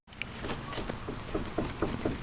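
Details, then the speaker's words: 2004 VW Beetle, front right (passenger) wheel rocked by hand: dull knocks about every quarter second from play in a worn front ball joint that needs replacing. "Don't know if you can hear that. Hear that? So the ball joint needs to be replaced."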